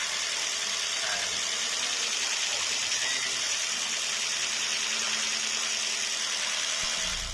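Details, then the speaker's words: Jeep Renegade 1.4 L MultiAir2 turbo I4 after fitting new spark plugs: a steady, even idle with no stumbles or dropouts, the engine light now off and idling okay. "Engine light is now off. Idling issues seem to be okay."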